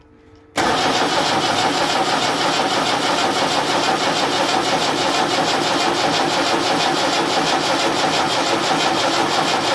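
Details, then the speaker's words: Land Rover Series 3 diesel, first start attempt after starter solenoid fix, injector pipes loosened for bleeding: steady cranking at about three turns a second, never firing; little or no fuel coming out at one injector despite bleeding. "six six six not a lot not a lot at all i've bled it up to the up to there yet again i can't get anything out of that one"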